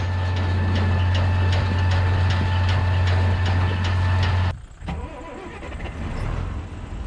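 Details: MF 3505 diesel tractor restarted after a screech was heard from the front while baling: steady idle with a high-pitched screech and fast regular tick at the engine front. Water pump failed.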